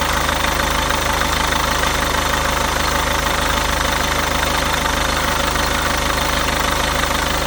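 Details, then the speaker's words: VW Golf after fitting a new belt tensioner and a new alternator one-way clutch pulley; the old pulley let the belt slip and bounce the tensioner: a steady, even idle with no chirp, slap or flutter, and the noise is gone. "So the noise is gone already, so the tensioner is sitting properly and running properly and how it should be."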